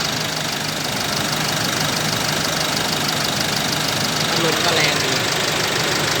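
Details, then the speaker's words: Isuzu 1.9 diesel pickup, 100,000+ km, oil breather vented to ground since new, catalytic converter replaced with pipe, 3.3 final drive, heard outside at idle: steady even clatter about three beats a second, no misses or knocks; very smooth. Normal idle. "แต่ก็อยากจะฟังเสียงเครื่องข้างนอกกันนะครับเสียงก็ปกตินะเสียงนิ่งมาก"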